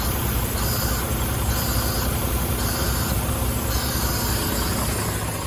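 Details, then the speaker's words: Freightliner diesel idling with a constant airy hiss from the passenger-side air dryer purge valve and air not building; purge valve stuck open leaking. "And that's where I have air leaking out. I'll go start the truck and show you that."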